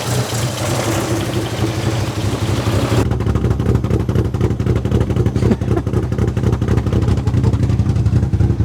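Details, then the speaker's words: Toyota 4E-FE bottom end with built head, Ivan Tighe 292 camshafts, ported head, custom ITB manifold, E85 fuel, almost no vacuum at idle; low, uneven loping idle with irregular pulses, rough idle. "The idle does sound really cool. So yeah, she's lumpy as."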